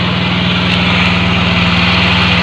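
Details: Automatic scooter whose idle stays high and returns after throttle adjustment. A steady, fast, even idle that never settles to a slow tick-over; high idle, found caused by a broken inner throttle part needing replacement.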